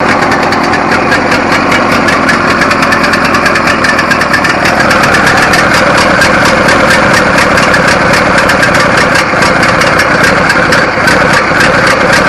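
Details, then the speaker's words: $75 riding mower after swapping in a replacement carburetor for a stuck float needle, battery jumped: fast steady firing, even beat, no misses or surging; runs, drives and cuts normally. "all right guys it runs drives and cuts"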